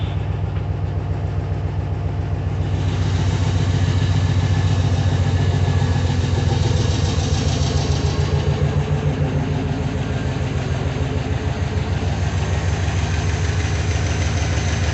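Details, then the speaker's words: Junkyard 6.0 LS V8 in a 2500 truck just after first start following the swap, 40 psi oil pressure: lumpy idle with light, quick ticking that eases off. Lifters are pumping back up and quietening. "I'm hearing lifters, but I've got 40 pounds of oil pressure. We'll see how that goes in a minute."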